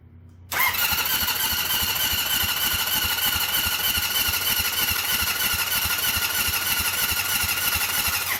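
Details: Rebuilt Honda CB750 cafe racer cranks fast and steady with a high whir but never fires; spark test with plug out showed no spark, connectors and regulator then rewired.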